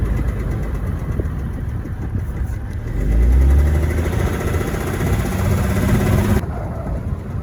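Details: BMW 7 Series E65 with an M57N diesel: rough idle with a dull rhythmic knock, about four per second, rising with revs. The cause was a worn rod bearing shell on cylinder 5. Rod bearing knock.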